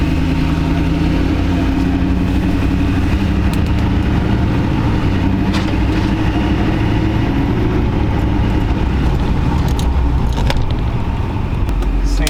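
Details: 20-year-old Duramax diesel pickup, recently new injectors, cooling system just opened and topped off, sat a while; deep steady idle, even unbroken beat, no whistle or knock, no boost leaks heard; normal idle.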